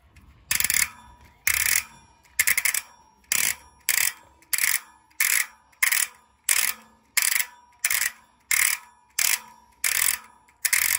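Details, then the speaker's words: Trinx Striker K026 bike with Maxzone Stroke 1.0 rear hub, freehub spin sound check after replacing stock pawl springs with new ones: loud, crisp, even buzzing ratchet bursts about every 0.7 s per spin; freehub pawls engaging normally. "Okay mga kaklista, no, at ngayon nakabit na natin. Ito na yung bagong palit ng spring. So ngayon, sound check na natin."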